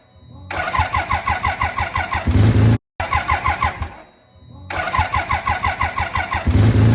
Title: Suzuki Rotary RE5 1975 Wankel “cold starting”